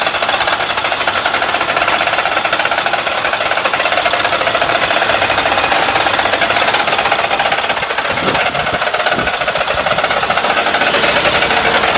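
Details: Mack truck with an MP8 diesel engine that will no longer build air pressure: a fast, sharp, even tapping over the idle, a hard knock inside the engine. A previous mechanic said it needs a new motor, but the cause is unconfirmed.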